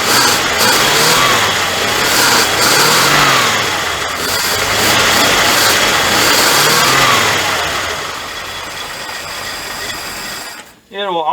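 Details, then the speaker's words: 1979 Dodge D300 V8 abandoned in woods 20+ years, first running: lumpy stumbling idle with uneven beats and revs sagging back, hiss probably from vacuum booster; misfire on two dead cylinders. "it's missing you remember we got two dead cylinders but yes sir that is pretty dog on awesome"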